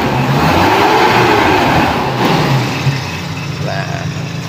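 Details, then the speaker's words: Toyota Kijang 7K carburettor engine after the emission control module's faulty IC was replaced. It revs up cleanly and drops back smoothly to a settled idle without hunting. The carb solenoid now switches on and off, so the module works normally. "jadi sudah kita ganti IC ternyata si selenoid karbu sudah bisa on off ya saat kita terserasi"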